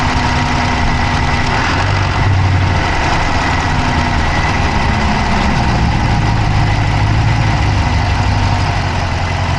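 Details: Dodge Charger Hemi V8 at idle, recorded inside the passenger-side engine bay: a loud idle with a fast, light ticking on top, steady at idle speed; a fast tick whose cause is not pinned down.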